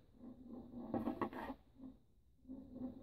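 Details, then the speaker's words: Austin A35 A-series engine rebuild, during cylinder head fitting: a pushrod rolled on a flat surface gives a short, uneven light rattle as it rocks instead of rolling smoothly. The pushrod is bent and is to be replaced. "you can hear it it's making a noise and can you see the difference so you look it's rock in there that should rule there and that's how you can tell the push rod to bend"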